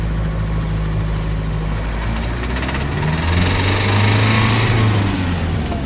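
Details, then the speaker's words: Renault Grand Scenic 3 1.5 dCi diesel (K9K 636) revved between about 1000 and 2500 rpm: hard metallic detonation-like rattle over the drone at all revs; faulty injectors knocking, fixed by replacing injectors. "При меньших оборотах тоже трещит. Включаю еще тут. Как детонация. Звук очень похож на звук детонации."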